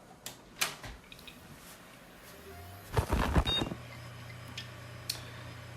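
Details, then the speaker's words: Working 500 GB hard drive of the same series as a dead one (built 16 June 2019), bench-powered from a PSU: quiet whir as the platters spin up, a few light head clicks, no scraping; normal spin-up, and the drive is detected in BIOS. "Donc, on est d'accord qu'un disque dur qui doit normalement fonctionner fait ce bruit-là."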